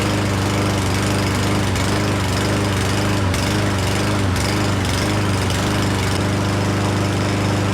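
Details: Certified push mower that wouldn't start and sat unused all year, started on sprayed starting fluid with choke opened: chugging with dips and catches, nearly dying, re-sprayed, then settling into a smoother steadier run; cause not confirmed.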